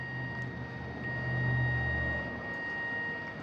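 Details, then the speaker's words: Astro-Physics Mach2 mount, right ascension axis after belt adjustment, while pushed by hand: smooth motor hum with a thin whine that swells briefly under load, no rattle, buzz or vibration; healthy. "some i can hear the motor change the sound a little bit but i'm pushing against this"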